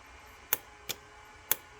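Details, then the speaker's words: 1986 Porsche 959 Bosch dual ABS relay after replacing a burned-out coil with one from a similar relay, bench-tested switching about 8–9 A of bulb load: three crisp clicks, bulbs light; relay operating normally. "there you go you can hear it clicking and you can see the light bulbs going on"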